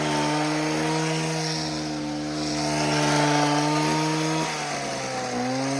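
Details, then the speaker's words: Homelite HT17 gas hedge trimmer after repair, clean steady buzz at constant pitch then settling slightly lower without sputtering; runs good, blades need sharpening. "A little bit of a hack job, but I think the blades need to be sharpened. Other than that, runs good."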